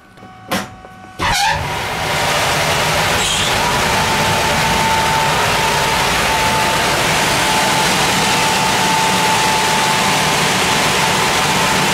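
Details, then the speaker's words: Air handling unit supply fan still gives a faint thin high-pitched whine over a steady airy rush after cleaning the filter, retensioning belts and aligning motor and fan pulleys; bearings or fan speed suspected, source still unknown. "donc comme on peut le constater on entend encore un léger bruit aigu"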